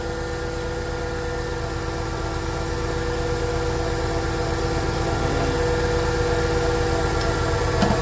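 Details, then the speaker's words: 1999 Ford Econoline 4.9 inline-six, which stalled at idle but drove fine with no check engine light, after repair; steady, even, smooth idle with no stumble, misses or hunting; normal idle. "We still at our value and it runs extremely smooth, too. The port was trying to stall. Now it runs amazing."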